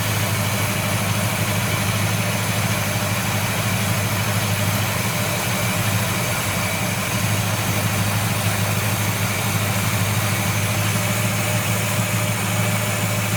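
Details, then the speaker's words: 1970 Buick Wildcat V8 with Quadrajet carburetor during tune-up; steady low idle creeping up in speed and smoothing as the mixture screw is adjusted richer. "so you hear the Idol coming up yeah and I'm adjusting it yeah it's liking you it's happier with it our Idol is Raising higher now"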